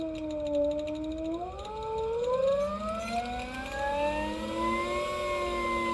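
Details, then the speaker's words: Electric motorcycle (Honda VT600-based ELX600 build, 96V 88.2Ah battery, FarDriver controller) with phase current overflow error; after the controller Ki settings were changed to 1, 1 and 1, the motor sounds smoother but still odd; several uneven whining tones rising and falling with speed. "yeah really loud nasty like a magnet rubbing on something I don't know something hard like a scraping but it only does it at low RPMs"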